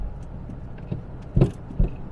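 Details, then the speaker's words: 1992 Daimler Double Six (Jaguar XJ) driven over uneven road: low, hollow knocks from the front, mostly right side but also on left-wheel hits; suspected worn anti-roll bar link bushes. "yeah there's some knocking there foreign or anti-roll bar because I always hear it from the right but I also hear it when the left wheel hits yeah"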